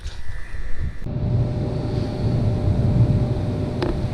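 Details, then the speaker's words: AC compressor that would not start, after tapping the shell with a rubber mallet to loosen the scrolls: short clatter, then steady, low, even hum drawing 9 amps; running normally, though the true fix is uncertain. "sounds a lot better there we go 9 amps that's good"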